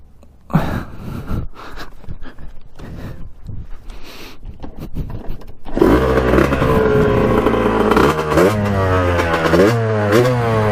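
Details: 1989 Kawasaki KX125 two-stroke on its second ride, needle raised a couple notches to run leaner and air filter removed: revs climb then stutter and drop out in ragged bursts near the top; high-rpm breakup persists, cause unclear.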